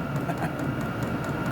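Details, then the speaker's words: Vevor diesel heater controlled over Bluetooth, turned all the way up to maximum: the pump speeds up under a steady blower roar with faint quick ticking, running hard and even. Normal operation at full output. "you can hear the the pump picking up we go all the way up see what it does it goes all the way up should be getting some really good heat now"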